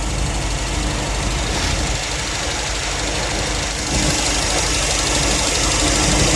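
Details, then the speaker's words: 1955 GMC pickup with new ZZ4 crate V8, aluminum heads, fuel injection, electronic ignition, long-tube headers, 10,500 miles: steady idle with light quick ticking of the injectors opening and closing; healthy normal idle. "injection. You can hear the injectors opening and closing. Electronic ignition."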